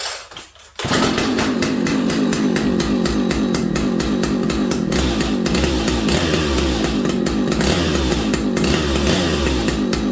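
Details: Vintage old-school muscle chainsaw with lots of compression, restarted to show its easy starting; it fires on a quick pull into a strong, steady two-stroke howl that holds without stumbling, normal running.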